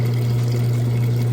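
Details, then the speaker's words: Maytag direct-drive top-load washer draining after the wash cycle, basket not spinning in neutral mode: steady, low, even hum with water rushing through, no rattle or grinding; drain pumping out normally and fast. "just draining that water out nice and fast and so it is not spinning right now as it goes into spin neutral mode"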